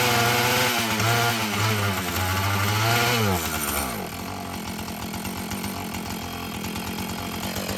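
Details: Husqvarna 445 chainsaw that had bogged when throttled, after cleaning and tune-up: high revs pull clean and drop to an even, regular idle beat with no bogging or surging; it runs well, though the carburetor diaphragm may need later adjustment.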